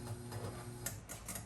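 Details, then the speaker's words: 1977 Gottlieb Jungle Queen electromechanical pinball at power-up: irregular light clicks and ratchety chatter over a low hum as a relay cycles on and off. A dirty relay contact is suspected, with every relay contact to be cleaned. "so you can hear this relay that's making a weird noise and going on and off so obviously we have a very dirty connection on one of the relays"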